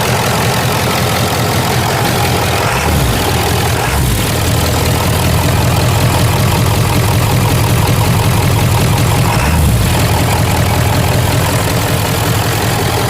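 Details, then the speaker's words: Ford F-250 HD Power Stroke diesel after replacing a broken idler pulley and refitting the belt: steady, even idle with smooth low rumble, no squeal, chirp or rattle from the belt drive. "All right. I don't hear any weird noises at all."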